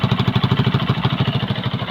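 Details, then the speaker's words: Kawasaki Boxer after 4-pin CDI conversion fix and idle adjustment: steady fast puffing pulses at idle, sharp chuff each firing stroke from exhaust pipe leaks, to be cleaned and welded; exhaust leak. "lilinisan na lang natin kasi may mga Tagas Tagas ta's ipa welding natin yung tambutso"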